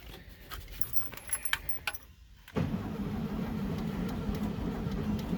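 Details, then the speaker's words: 1974 VW Beetle 1641cc engine, first start after install, fuel pump fed from a gas can: steady cranking for several seconds without catching; timing not set perfectly. "okay i did pour a little bit of gas down the carburetor just to give it something to try and light off with all right nothing yet i didn't quite set the timing perfectly"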